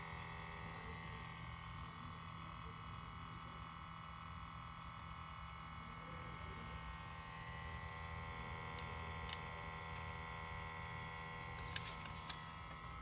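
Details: 2021 Subaru STI, ignition off, last driven 6 hours earlier, access port disconnected: a faint constant hum with steady high whistling tones from the rear right side, later stopping on its own; cause unknown.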